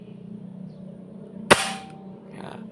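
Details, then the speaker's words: Air rifle after hammer stroke shortened from 1.5 cm to 1 cm to cut recoil: one short, sharp crack with no metallic clang trailing it; clean, healthy shot. "suaranya juga lebih enak ya. Enggak terlalu gimana ya, kayak ada yang mukul besi cetak begitu teman-teman ya."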